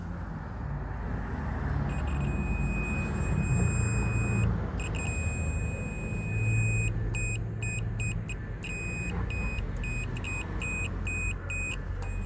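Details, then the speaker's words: 2006 Trailblazer rear window defroster joint repaired with silver-content conductive epoxy glue, tab not yet refitted: a clean high continuity tone from the meter, steady then quick on-off beeps over low rumble, shows the repaired joint conducts. "So this is the actual glue itself. It's epoxy based. It looks a little messy, but it does work."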